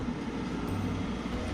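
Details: Webasto Air Top 2000 STC diesel air heater in a van, running during the high-altitude adjustment: steady low fan roar with a soft, even combustion rumble and no surging; running smoothly.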